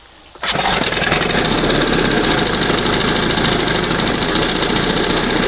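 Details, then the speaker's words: 1971 20 hp Johnson two-stroke outboard, stop screw reset so idle sits just past the first mark: quiet, then instant catch into steady, buzzy, even low-throttle running; clean start. "She starts. That's not bad."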